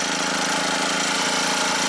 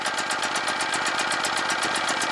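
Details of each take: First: Scrapyard generator revival under load test: engine drones hard and rough at a constant strained pitch with a knocking undertone, muffler blowing out; overloaded with two loads plugged in, working at its maximum. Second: Scrapyard generator revival, choke on, unloaded: pulses about four a second as it catches, then settles into a smooth, quiet, even hum with no knocks; normal generator idle.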